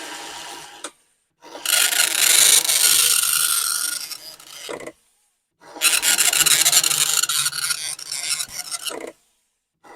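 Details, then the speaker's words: Commodore 1525 dot matrix printer for Vic-20/C64, never tested before, tractor-feed paper, running self-test mode with noise cover on: loud buzzing rasp in passes of about three seconds, short quiet gaps for carriage return; normal printing. "it is making a feasible noise and in fact here [Music] these things are loud this was the thing that was supposed to protect us from the noise and indeed it does do a little bit"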